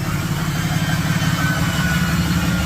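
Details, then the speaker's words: Cummins HE351VE variable-geometry turbo on a 4th-gen Ram 3500, vanes stuck closed from soot and actuator dead: a low diesel idle rumble with a thin steady jet-like whistle over it. No power, dumps fuel. Turbo whine from stuck vanes. "Uh, my veins are stuck closed. Sounds like a jet. Makes no power. Dumps fuel into it. Sounds cool."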